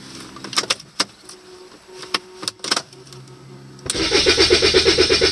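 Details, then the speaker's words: Rover 75 CDT diesel after fuel system service; clicks, then steady cranking at about three beats per second that never catches; owner hopes the filter is okay. "can hear it rumbling nothing is coming through I'm hoping this filter is okay"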